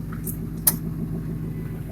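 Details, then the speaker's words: 2000 Ford F350 5.4 V8 after a new intake (replaced for a coolant crossover leak) and new spark plugs: low, even rumble while revved, with no knocks, ticks or misses; sounds good. "Sounds pretty good though."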